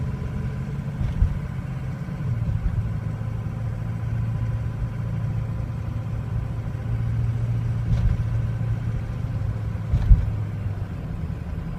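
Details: 2003 Ford Excursion 6.0L Powerstroke diesel, warm: low idle wavers and lumps unevenly with sharp stumbles, may stall; starts fine cold, worsens as it warms, hard to restart hot, vibrates and may surge when driving; cause not yet found.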